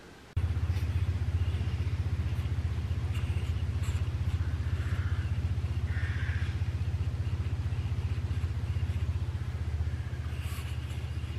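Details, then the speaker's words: Massey Ferguson 40 combine harvester, possibly 1996, diesel, sat unused for 3 years: small electric lift pump clacking steadily about four times a second, engine not running, pushing air then diesel up to the filters; electric fuel lift pump priming. "i left a little clickety-clack pump here for the moment and throw some power on that rather than cranking the engine over and get the diesel off to the filter"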